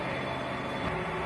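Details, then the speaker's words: Elevator after knocking guide liners were replaced and blown fuses were replaced with calibrated 3 A wire and resoldered; a steady, even running hum with no knocks, running normally. "Ну всё, тут я всё запаял, всё красиво, предохранители поставил, всё ездит, всё работает."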